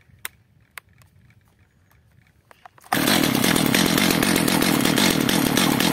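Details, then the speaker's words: Stihl MS 230/250 chainsaw after the L screw was richened one turn, while warming up. A few clicks, then a loud, buzzy, slightly uneven run. It runs better but still stalls; mixture possibly over-adjusted. "Jak widzimy pilarka pracuje lepiej jednak gaśnie"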